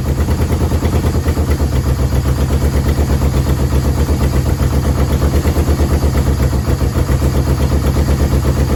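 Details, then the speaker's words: Yamaha VMAX 1200 that sat about 5 years, cold and idling on choke with a jerry-rigged fuel pump and no smoke: a low, slightly uneven thudding beat. It dies when the choke is off. Owner suspects clogged carb jets and has ordered a carb rebuild kit. "As soon as I put the choke off, he dies. So let's try it one more time. Let it warm up a little bit. But I know the freaking jets are clogged up."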